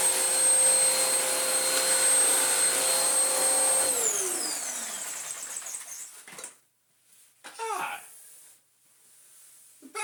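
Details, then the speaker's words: Vax Power upright vacuum with new belt: steady high motor whine, then around four seconds pitch sags and winds down as the belt rides across and off the brush roll; suspected cause of the original snapped belt. "It's ridden the belt up and across to the point where it's now catching, and that now seems to be riding there."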